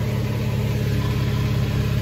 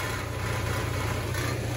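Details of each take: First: Nissan Xterra idling in cab after replacing a broken exhaust heat shield clamp with a plumbing clamp: even, smooth low idle rumble, no buzz or metallic rattle; heat shield no longer rattling. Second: Nissan Xterra idling, recorded underneath: dry, buzzing rattle from the exhaust heat shield whose holding bracket/clamp is broken; fixed by replacing it with a plumbing clamp.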